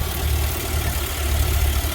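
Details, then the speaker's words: GMC with 6.0 V8 previously making throttle body clattering, warmed up and idling twice as long as before: steady, deep, even low rumble with no tapping or clatter; normal warm idle. "so now this thing's been running twice as long as it was before and I got no noise out of that throttle body"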